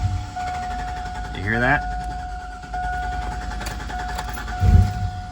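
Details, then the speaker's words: 2002 Cadillac Escalade: engine starts normally, then a constant high whine like wind or intake suction holds one pitch, not following the engine, like the starter still spinning; intermittent, first after cold temps; starter suspected stuck engaged, not confirmed. "I'll start it up and it'll start just like normal but then I'll hear like this weird kind of like whining noise it almost sounds like wind like meaning like the air intake is sucking in air"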